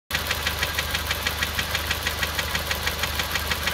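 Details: VW 1.4 TwinCharger petrol at idle: sharp hammer-like knock several times a second over the low idle hum, disappearing at revs above idle. Knocking at idle.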